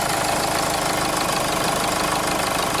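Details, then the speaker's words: 2005 Jeep Liberty CRD diesel, 171,000 miles, losing power, no turbo boost, limp mode, P0105 MAP/boost sensor code, replacing the MAP sensor changed nothing: loud rattly clatter at idle with uneven knock, tractor-like; diesel clatter. "so customer complaint sounds like a kubota tractor"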